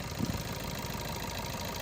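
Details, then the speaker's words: 2015/16 Maruti Suzuki Ertiga VDi diesel. Even diesel clatter at idle with a smooth steady beat, no chain rattle, ticking or tapping; no timing chain noise, engine healthy. "ఇది engine sound actually noise గనుక tickling గనుక ఏం లేదు guys timing chain sound అనేటిది like ఏదైనా engine sound అనేటిది ఏం లేదు"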